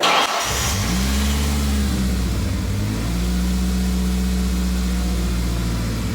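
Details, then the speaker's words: 1996 Ford Ranger 2.3 after fuel pump replacement, first start: catches after a short crank, then idle sags and climbs instead of holding steady; uneven hunting idle, owner suspects idle relearning. "the old two three don't sound the happiest right now but hey what do you do hopefully it's just kind of relearning Idol which I assume it is because of the dips and Rises like right there and then it'll dip back down that's fairly common"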